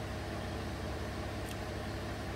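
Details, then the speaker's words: 2016 Chevrolet Colorado 3.6 L V6 after new spark plugs and walnut-blast intake valve cleaning for P0300/P0303 misfire on cylinder 3: quiet, steady, even hum without stumble or miss, a smooth, healthy idle after repair. "and take it for a road test i'm sure it's going to be okay running nice and smooth now thanks for watching"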